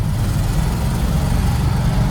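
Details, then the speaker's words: Ford F250 with tired 352 FE V8, granny-gear transmission starting in second, before distributor replacement (owner suspects ignition): deep V8 labouring under load, stumbling through a dead spot off the line then pulling fine; acceleration hesitation. "Hear it stumble, and there it goes. So once you get through that dead spot, everything works great."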